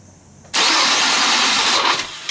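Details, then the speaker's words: 4th-generation Nissan Maxima cranking with a fully charged battery: a harsh, whirring grind about a second long that fades without catching, a failing starter with a slow crank and the bendix suspected of hanging up; the starter was replaced. "maybe we can hear the bendix getting hung up it's kind of like a winding sound after it starts sometimes it's kind of sounds like a slow crank"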